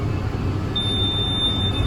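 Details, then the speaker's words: The blockage monitor of a 1990 seed drill, heard from the tractor cab as the tank runs empty. A steady shrill tone comes on over the tractor's rumble and holds, warning of blocked seed runs (section two after three). The tone means it is time to refill. "so basically as soon as you get any of these modules beeping at you and you know that you're empty you may as well go refill"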